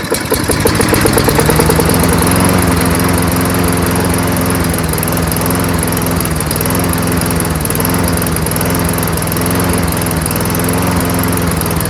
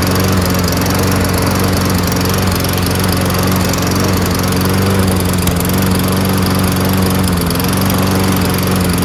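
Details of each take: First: Toro Recycler 22-inch self-propelled mower, Tecumseh engine with freshly cleaned carburetor, running on its own after priming: steady even putter but engine speed a bit low; raise RPM by bending governor spring bar outward. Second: Toro Recycler 22-inch front self-propelled mower with Tecumseh engine, after carburetor clean repair: steady, even drone at constant speed with no surging or hunting; engine runs smooth and healthy.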